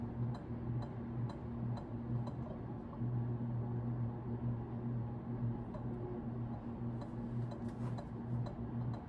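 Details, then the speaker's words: Early-1980s Carroway 52-inch ceiling fan, model EF100, 120 V 60 Hz, at medium speed: low steady slight motor hum with faint ticks about twice a second, believed to be the canopy rubbing the electrical box; otherwise quiet. "It's making a little bit of a clicking sound, but I think that's just the canopy rubbing against the electrical box."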